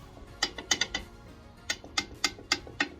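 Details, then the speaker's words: BMW N47 diesel Mini with the engine and gearbox out, clutch rocked by hand: loose metallic clacks in bursts, about three or four a second, where there should be little or no movement. The clutch is badly worn with excessive play. "So there shouldn't really be much movement in this, if any, but you hear that?"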